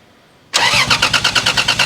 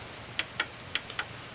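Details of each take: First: 1987 Toyota Supra with a 2JZ-GE and T70 turbo, sat two years, first start attempt: the starter churns at about three beats a second with no firing. It cranks but won't start from fuel starvation; five of six injectors were found dry. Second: Fuel injector for 2JZ-GE NA-T swapped 1987 Toyota Supra, bench-tested with power applied: crisp, sharp clicks each time wire connected and fuel sprays; the one working injector, others from eBay dead.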